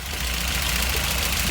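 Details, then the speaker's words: Mk1 VW petrol engine idling with fast, light valve train ticking; intake clearance on cylinder 1 measured 0.16 against a 0.006–0.10 spec, exhaust on the money at 0.016; excessive valve clearance, valves need adjusting. "If it's too far open, you'll get noisy valve train. Worst case scenario, you'll start breaking stuff."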